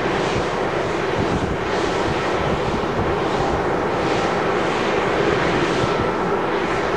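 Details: One of nine 410 ft turbines at Little Raith Wind Farm, noisier than the rest: rushing swish swelling and fading about every 1.2 seconds as each blade passes, louder than usual; cause of the extra noise unclear.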